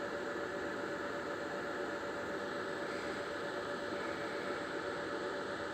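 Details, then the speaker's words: Trash-picked Lenovo ThinkCentre desktop at power-on: steady hiss with a thin constant whine that doesn't change; owner suspects the power supply, not confirmed, same machine has done this before. "that ain't good that that ain't that ain't good that means it's the power supply sir luckily I have a replacement"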